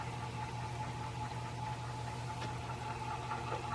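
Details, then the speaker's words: Antique Century ceiling fan, running on high without blades and oiled with synthetic oil, spins freely: smooth, even low hum with steady faint whir and no knocks or rubbing; motor healthy. "I'm going to start it up real quick without the blades on it. And there it is, running on high."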